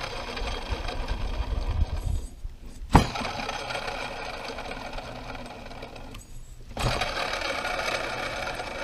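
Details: Chevrolet Celta alternator spinning on the bench with a rough grinding roar from its bearing, worn and contaminated by heavy mud; alternator bearing noise.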